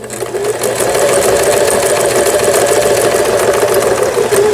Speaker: 요 보시는 것처럼 각종 기능들 정상적으로 박음질이 돼요.